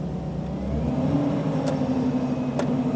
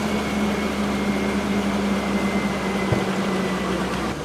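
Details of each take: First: Power steering at cold start idle, all-new parts, with brake pressed to raise rpm: steady low whine over engine and fan noise, pitch changing with load, from air in the system; worse on the road; persists until the system is bled. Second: Truck idling after manually bleeding air from the power steering system: steady idle with fan hum, power steering pump whine gone, much quieter than before.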